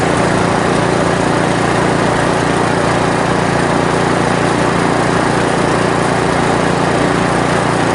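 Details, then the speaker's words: 1970s Briggs & Stratton generator built for Princess Auto, carb not yet cleaned: the engine drones steady and even with no misses, knocks or surging, so the motor is healthy, but there is no power output. A cord or generator-internal fault is suspected. "Well, motor works good, but we're not getting any power there, so could be a cord issue, could be inside the generator issue."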